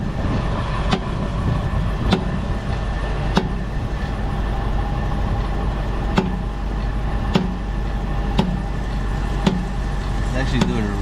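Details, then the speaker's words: 2012 Dodge Durango Citadel on a jack, in drive under torque load: sharp single pops about once a second over a steady driveline hum from the rear. A worn rear CV axle popping; after greasing it, the customer has not complained of the noise since. "And under a specific torque load is when you're gonna hear it. Go ahead and start the car and do it. So drive. Oh, there it goes. That's what I'm hearing."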